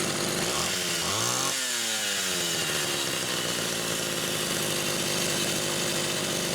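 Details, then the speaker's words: Rebuilt Homelite Super XL SDC carburetor test-run on a known-good test saw with a Phelon electronic coil: climbs to a loud, busy, steady high rev without a crisp, clean scream; rich on the high-speed side. "So I'm comfortable in using it as a test unit for a carburetor like this. Definitely rich on the high side."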